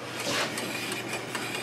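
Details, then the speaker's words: Chevrolet Epica wheel spun by hand: a faint, raspy turning sound with soft clicks about five times a second. Worn wheel bearings are suspected, not confirmed. "kind of hear like bearings clicking around in there girls it again watch your fingers against that damn caliper okay you guys hear that on camera I think you could so probably three or two wheel bearings for this"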